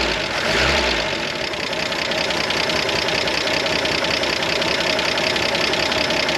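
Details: 1973 Jeep CJ5, sat 16 years, running on bypass electric fuel pump: steady busy idle, quick light tapping over a raspy note, no stumbles; sounds like a little tractor motor, oil pressure reached 40.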